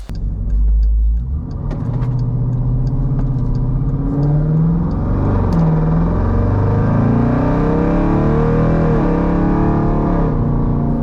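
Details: 2018 Jeep Grand Cherokee Trackhawk V8 rebuilt with a replacement engine after a cracked piston damaged the block, codes cleared: deep smooth rumble pulling up and settling under load on the road, no misses or knocks; normal running, no codes returned.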